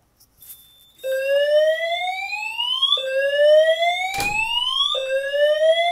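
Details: Simplex 4010 fire alarm panel test with multi-tone horns: repeating rising whoop, each sweep climbing about two seconds then restarting, loud and clear; horns sounding normally in alarm.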